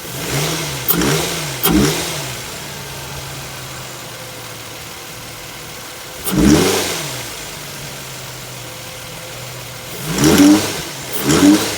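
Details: An Infiniti FX35 petrol V6 idles steadily and revs up cleanly in short blips with no knock audible, running normally.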